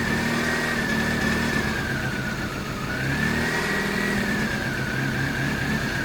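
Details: 1998 Mazda 323 idling in P after cleaning throttle body, IAC, MAF, intake tube and distributor cap: uneven idle that sags and recovers with a dip in loudness; in R or D it drops from about 1000 rpm toward 100-500 rpm. Rough idle, cause unknown.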